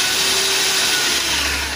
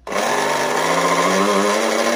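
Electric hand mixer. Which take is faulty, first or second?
second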